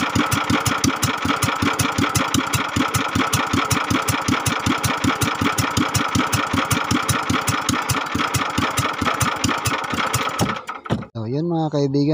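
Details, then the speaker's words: Kingstone 16hp single-cylinder engine, previously hard to start and would not idle; after reassembly with liquid gasket it starts and thumps along at a slow, even, steady idle before shutting off: normal idle. "napaandar natin nakita niyo naman magor ng ating motor ngayon so kaya kison na siya"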